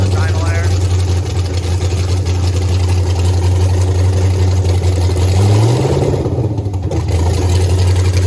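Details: Texas Speed blower (supercharged) engine in the race Blazer, fired up the day before Race Week: loud, steady fast idle that never settles to a lope, brief blip near the end. High idle; owner suspects too much air, pump gas.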